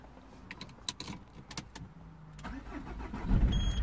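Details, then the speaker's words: 2003 Peugeot 307 2.0 HDi diesel, a non-runner with a lost transponder, restarted after a new key was programmed: short crank, then it catches promptly and settles into a steady idle. Normal start, better than the previous attempt. "started way better this time don't know my was because was off for some time perhaps"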